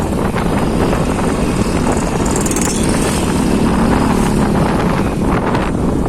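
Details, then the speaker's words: Honda Beat scooter at speed (drive shaft and counter gear previously replaced): heavy wind rush and steady drone, no gear whistle rising with speed; final drive now healthy. "Tapi ini sekarang alhamdulillah sudah lebih yoi lah, nggak ada suara lagi rolling bambunya. Lagi dibawa ngebut itu langsung gitu jadi."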